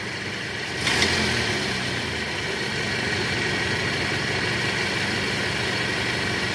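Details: Toyota Camry petrol 2AZ engine in reverse after replacing the loose balancer shaft, heard from the side: idles steadily, even and smooth, no shaking or rough pulsing; before the repair shifting to R made it rough and noisy.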